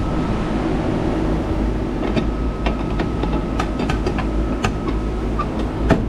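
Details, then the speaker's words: AAON 18-ton rooftop unit, previously running at only 50% capacity, after a refrigerant leak (hole in a tube bend) was found: compressors and condenser fans run with a steady hum and even air rush, cooling normally. "As you can hear it, compressors running, fans running. You got cooling, my friends."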